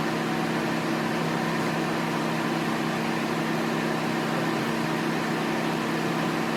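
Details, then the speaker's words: Mini after head gasket and timing chain reassembly with fresh oil, first start; started a little rough, then a steady, even hum with no knocks, ticks or hunting, normal idle. "good news is starch runs runs great just like it did when i shut it off um started a little rough but i let it run for about 10 minutes"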